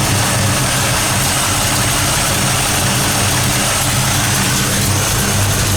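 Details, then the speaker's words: 1973 Camaro Z28 V8 just started after swapping stamped steel rockers for full roller rockers, with the timing set roughly: an even, lumpy idle with a crisp crackle and each cylinder firing clearly, no ticking or knocking. Normal, healthy idle. "Okay, that sounds pretty good. That sounds not bad at all. You hear that nice little crackle? That's what you like to hear. You can hear the individual cylinders firing."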